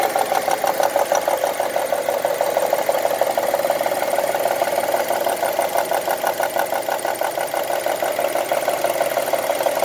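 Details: 2002 Honda CR-V petrol engine running 10W40 oil ticks at idle: a steady, light ticking, about three ticks a second, throughout.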